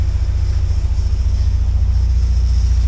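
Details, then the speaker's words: 1979 Porsche 924 engine running: a steady, even low rumble, smooth and quiet, with no howl or whine; the fuel pump still makes some noise but does not howl; normal running. "yeah that sounds all right now H nice and nice and quiet the U fuel pump yeah still makes noise but not a bad noise not it's not howling"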